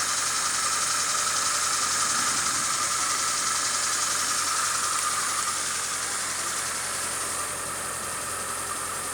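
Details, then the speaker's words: Fiat Palio G1 after removing broken oil pan (crankcase) guard with stripped bolts: steady, even idle with smooth hiss and hum, tinny rattle gone; normal, healthy idle. "Olha o barulho da azeitona, neném. Acabou o barulho."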